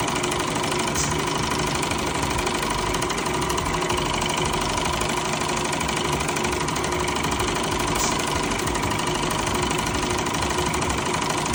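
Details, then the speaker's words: Car wash high-pressure pump tested on high-pressure soap after reassembly: a harsh, continuous knock at about three per second under pressure. The valve parts were reassembled in the wrong order and are jammed on rather than loose. "Well, that didn't work. Okay, so I took the pump apart, and obviously I got the order wrong here, because these are jammed on now rather than loose."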